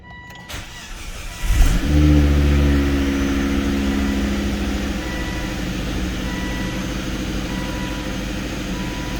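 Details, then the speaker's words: Volvo V70R cold start with resonator deleted: starter whirr, quick catch and a loud flare, a bit louder than stock, then settles to a smooth, even, slightly throaty fast idle; normal healthy cold start. "you can hear that the resonator has been deleted on the cold start it's a little louder than usual but not really overly loud once it calms down"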